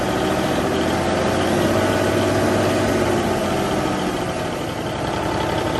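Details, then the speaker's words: 1971 Peterbilt 352 diesel after working on the fuel pump: loud idle with slightly uneven beat and occasional dropped pulse, a light misfire at idle; turbo working, throttle very touchy. "Sounds pretty good. It's got a little bit of a mist. I don't know if you guys can hear me or not. It sounds like it's got a little bit of a mist, but at least I know that the engine's running, or it will run."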